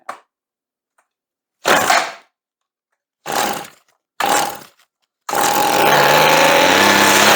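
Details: Redmax weed eater that wouldn't start, spark confirmed and ignition switch OK; fuel sprayed into carburetor, then three short pulls and the small two-stroke fires and holds a steady high buzzing run without stumbling; running fine.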